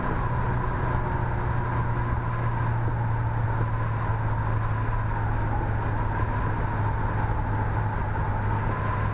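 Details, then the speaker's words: 1986 Honda CRX Si, about 97,800 miles, mostly original engine, fifth (top) gear, full throttle from 75 mph: deep steady drone building smoothly over road and wind noise; pulls cleanly. "nice torque that's Full Throttle going through 75 up to"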